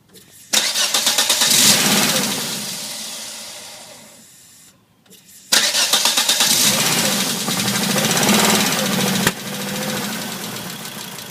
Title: 1997 Volvo 850R rough idle after head rebuild